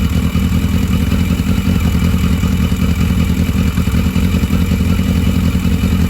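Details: Barn-find 1982 Yamaha Maxim XJ750 after plugs cleaned, running off its own fuel supply while gas tank flow issues are sorted: even low rumble with a steady firing beat and no stumbling or surging; running cleanly.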